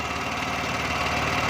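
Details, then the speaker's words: Small petrol generator after the carburetor fuel leak fix, choke checked and petrol turned on: steady, even buzzing drone with no surging or misses and no petrol leaking; running normally. "Petrol on करने के बाद इसको अब हम start करते हैं। देखें अभी पेट्रोल बिल्कुल नहीं आ रहा, तो इसको सबसे पहले स्विच ऑन करेंगे। ये आप देख सकते हैं अभी हमारा जनरेटर बिल्कुल अपनी जगह सही"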